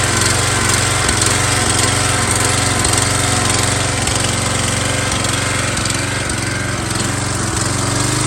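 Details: MTD Yard Bug riding mower left sitting for years at a boat storage yard, first start after a spark check and fresh gas: loud, even single-cylinder chug, steady beat near two a second, running cleanly at constant speed.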